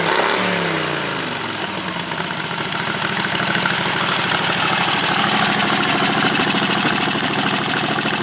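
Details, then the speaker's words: John Deere 214 mud mower with Predator 670 V-twin after fitting a homemade drilled baffle in the muffler to spread heat and stop fires: blip then steady mid-pitched idle, exhaust fairly muted without sharp bark. "our new baffles back inside let's crank this thing up and see what it sounds like a lot better before"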